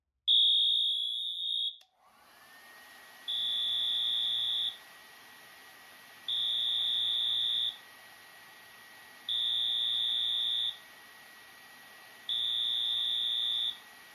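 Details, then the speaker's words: Notifier NFS-320C releasing demo on a cross-zoned system: with one detector in alarm, the Wheelock AMT sounds its horn tone in slow march time, about 20 tones a minute; two detectors would give fast march and pre-discharge. "When one detector alarms, the AMT will sound its horn tone in slow march time."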